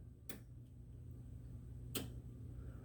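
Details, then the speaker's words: 1969 Pontiac GTO overheating diagnosis: two crisp clicks as fan control switch is grounded, showing the fan relays and switch work; fan fuse then found burnt. "those are the relays so the relays are working that switch is working that means there's something else going on"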